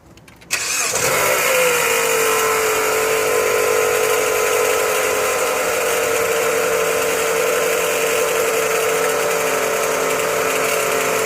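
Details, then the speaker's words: Chrysler 200 started up to diagnose pulley noise with a mechanic's stethoscope: short crank, then a steady high whine over the idle; bad pulley. "now today what we're gonna do is we're gonna crank the car up and we're gonna diagnose a bad pulley that I have on this Chrysler 200"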